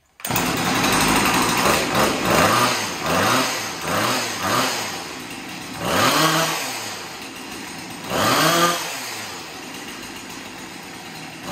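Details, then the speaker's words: Chainsaw after a scored cylinder was cleaned and a new piston and ring fitted, carburetor untouched, first start after priming; small two-stroke blips in repeated rev bursts, then settles to a lighter idle; runs clean, carb was likely dry. "well that's great so it runs so i'm guessing the the carburetor was dry and um now it's pumping fuel through"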